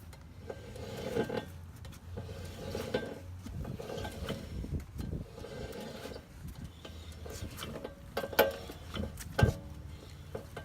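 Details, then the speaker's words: 2008 Nissan Armada on jack stands in neutral, tire spun by hand: rough uneven low grinding rumble with scattered clicks, first heard at about 65 mph on freeway; bad rear wheel bearing found. "now as far as the grinding noise listen to this"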